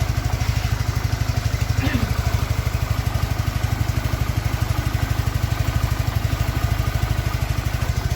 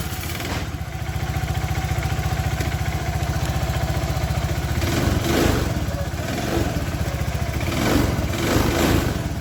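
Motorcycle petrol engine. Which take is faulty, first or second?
second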